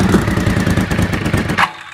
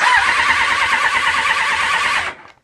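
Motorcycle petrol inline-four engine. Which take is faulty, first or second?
second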